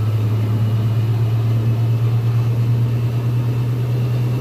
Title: GE || Washing machine || Normal sound || Spinning